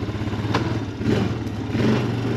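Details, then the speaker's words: 2007 Honda Foreman 500 ATV after replacing the electric shift motor (it shifted poorly when hot): single-cylinder engine pulls steadily with a brief clack at the gear change, no grinding or stumbling; shifts easier. "Nice, it sounds better. Sounds like it shifts a lot easier."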